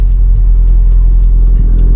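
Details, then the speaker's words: Turbo Miata with lightweight flywheel, cold January start after sitting: steady rumble hanging at about 1300 rpm idle instead of dropping; TPS sticks around 1% off-throttle, owner suspects failing TPS or wiring noise. "Got a little bit of a hanging idle going on."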